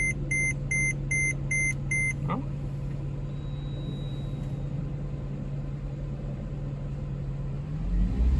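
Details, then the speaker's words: Mercedes ML63 AMG M156 V8, already warm, restarted after custom air intake box and dry-flow filter install, about 300 miles into break-in after head bolt job: warning chimes, then smooth steady low idle, no ticks or roughness; healthy. "sounds good to me nice and smooth"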